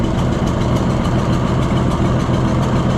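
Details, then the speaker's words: Junkyard Oliver Super 77 tractor after new carburetor: rough, lumpy idle with rhythmic sucking chuff; air drawn past loose, bouncing intake manifold gasket, possibly causing its miss, with smoke from a bad cylinder wall. "but you can hear it sucking. You can see that gasket bouncing around."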